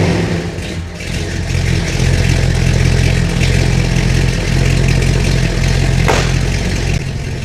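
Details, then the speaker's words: 1986 Chevy Suburban C20 2500 454 big-block V8, cold start with a new high-torque mini starter after a flexplate repair: catches, settles into a deep lumpy idle, revs and drops back cleanly with no grinding. Owner says it sounds better than before, a healthy start. "so I doubt that I will sound super smood way better than before comped to the previous and obviously a new starter"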